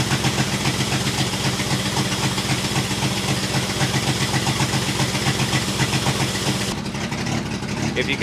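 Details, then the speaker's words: 1966 International 1200A pickup, not yet at temperature, with half the muffler on the ground: loud raw idle with a hard even putter about four beats a second; exhaust leak that has worsened. "believe it the exhaust the exhaust leak has gotten worse the half the muffers on the ground my neighbors are going to hate me"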